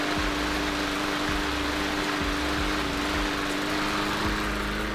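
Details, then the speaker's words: MTD 20-inch lawn mower, Briggs & Stratton 300E 125 cc engine, after carburetor cleaning, air filter off: steady even drone with constant pitch, no surging or misses; normal running. "i am all that is mad listen to that neighbors listen to that you've been watching me all evening"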